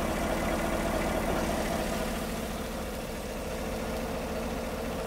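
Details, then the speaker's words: Healthy V8 at idle, checked with a homemade pulse sensor at the intake: smooth, even low pulse about three beats a second, no knocks or ticks; normal idle. "of course there's nothing wrong with this engine so really we're just learning off of it"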